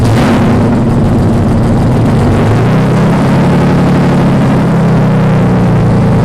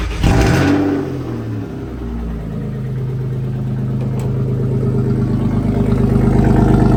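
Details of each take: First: BMW 318i engine swap, first start after fuel lines swapped, no exhaust fitted yet: very loud, raw, deep roar at steady speed with nothing muffling it; loud exhaust noise from missing exhaust system. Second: BMW 318i E36 with M50 engine swap, unfinished exhaust lacking hangers: cranks briefly, catches right away, steady even idle with loud open-exhaust rumble, no knocking; normal idle.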